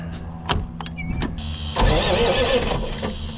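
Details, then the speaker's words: Cabover semi truck parked about 20 years, being cranked after the fuel shutoff solenoid override screw was set to run: after a few clicks the starter turns the engine over quickly and evenly, a strong, healthy crank. "Well, that sounds way more healthier."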